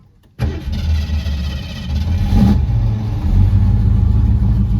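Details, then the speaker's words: 1967 Mercury Cougar with new water pump and exhaust fitted, long-stored, before a 1250-mile road trip: V8 catches instantly and settles into a deep, even burble with a slight rev; runs cleanly, somewhat shaky at start, motor mounts suspected. "sounds good he's got he's got exhaust on here so it sounds good"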